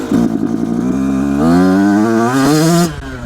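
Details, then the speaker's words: Brand-new 2026 Yamaha YZ85 two-stroke, second gear at full throttle after air screw adjustment: revs climb with an uneven burbling stutter and bogging hesitation, judged too lean; next step is richer air screw, three turns out. "Now, I have mistaken that for being too rich when I was tuning an Electra carb, but that bogging hesitation, that actually might be a little bit too lean. Okay. it's definitely too lean."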